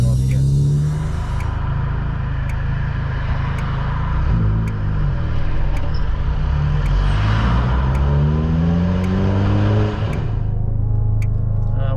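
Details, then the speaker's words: Chevy HHR SS daily driver, newly installed used twin-disc clutch: pulling away, a deep uneven shuddering judder as revs climb under load; harsh, grabbing clutch chatter on engagement, not driver friendly. "oh my god that sounds brutal taking off"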